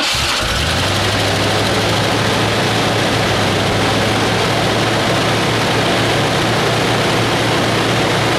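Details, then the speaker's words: 1986 Ford F-150 stock 302 (5.0L) EFI V8 with a Comp Cams CL31-215-2 cam (206/206 @ .050, .433 lift), 8.5:1 compression, HO/351 firing order, knock sensor unplugged: fresh start settles into a steady idle with a faint mild cam lope. "does have a little loaf to it but not much"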